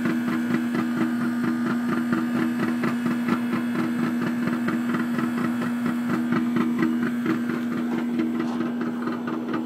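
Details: Trane AC unit: steady hum with a fast, uneven plucking or twanging rattle about two a second; abnormal twanging noise, cause unknown.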